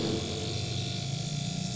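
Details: Car AC compressor that was seized and would not pump, after freeing the stuck clutch hub: steady, even low hum without knocking or grinding, now turning smoothly; normal running.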